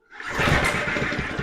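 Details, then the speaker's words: Alpina RS100 lawn mower, engine possibly had water in it: a short rough pull-cord rush with a few uneven puffs and no catch. It cranks but won't fire. "don't think she's gonna go. No, she sounds like it, but not really."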